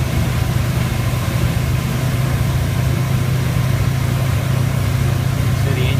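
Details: Rotec R3600 radial engine on new test-stand dyno just after start, about 18 in manifold pressure; steady, even low rumble with no misses or knocks, clean idle.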